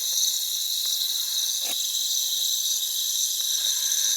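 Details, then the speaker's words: Central AC unit: steady high-pitched hiss with almost no low sound under it, refrigerant leaking from a distributor tube sitting in water; unit is low on freon. "I can hear it leaking in here. Can you hear it? Let me take this cover off, but I definitely hear it leaking up here."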